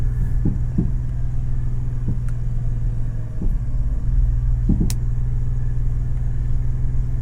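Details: Ashok Leyland Dost CNG: over a steady low engine hum come a few sharp, irregular knocks and clicks from the steering; steering noise.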